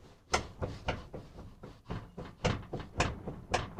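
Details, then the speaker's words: CUCV/squarebody Chevy door rocked up and down by hand: dull clunks about twice a second from slop in the worn-out upper door hinge, needing new bushings and pins. "You should be able to hear that too. I couldn't get that when I first did it for you, but now I am. The upper hinge is worn out, needs new bushings."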